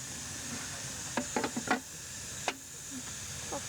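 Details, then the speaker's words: 1989 yard live steam locomotive: the emergency hand pump pushes water into the boiler, and a cluster of light check valve clicks rattles over a steady steam hiss, normal check valve rattle. "Yep, I'm pumping water in there. Hear the check valve rattle?"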